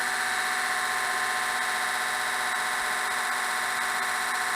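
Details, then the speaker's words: Manta permanent-magnet axial-gap motor (Etek/Lynch type), after repair for huge current draw and poor torque, run on 12 V via booster cables: even steady whirr with smooth fast hum, slight flutter about four per second; normal motor run. "so um there goes nothing that sounds great"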